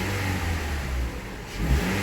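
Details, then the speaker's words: 2013 Toyota Venza 2.7L, first startup after engine install and oil change, 145,109 miles: engine rises cleanly on a snap throttle and settles back, no knocking or rattle under load. "No knocking under a load during the snap throttle. Take a look outside. Still got to get some cosmetic stuff back on here, but it sounds wonderful."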